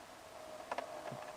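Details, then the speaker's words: 2004 BMW X3 E83, window stuck down, battery dead so running on a booster: faint steady motor hum with crunching clicks while the glass stays put, as the regulator pulley wheels break and the cable comes off. Window regulator failure, to be replaced. "you hear this sort of crunching kind of sound what's happened is that the the it's sort of a bicycle cable that's inside of a metal frame with wheels on it and stuff and that's what moves the window up and down"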